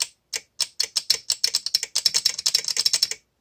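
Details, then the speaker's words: VXT-24 boiler water feeder relay on a flooded steam boiler: rapid irregular dry clicks, several per second for about three seconds; relay chattering erratically, as water from a leak intermittently shorted the manual feed switch. "here's the connections for here i've got this uh lit up with 24 volts and as you can hear it's not making any funny noises but it would sound like this"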